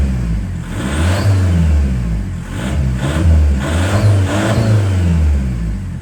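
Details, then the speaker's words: VW 1.9 TDI warming up at idle, clutch in, free revs: four quick revs each with rising whoosh of intake air as the turbo spools; smooth even diesel, normal turbo spool, no visible drips. "But what I've noticed is even on idle, if you're just clutching and revving it, you can hear the turbo spooling as it's sucking the air in."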